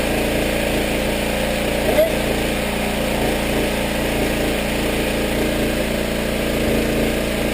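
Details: Power washer small engine after carburetor rebuild, water hooked up, little gas, pressure released: steady even buzz with no surging or stumbling; runs normally now, where it ran poorly before.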